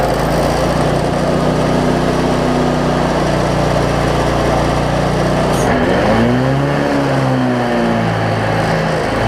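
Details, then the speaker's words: Cub Cadet zero-turn mower, Briggs V-twin, after repairs including a part that had wiggled loose over time: runs steadily, speed dips and recovers once mid-clip with a slight hunt ("doing a little dance"), otherwise even; considered fixed. "i know y'all couldn't hear that or couldn't see that but y'all can hear that it's running it's doing a little dance now but the good news is it looks like i got it"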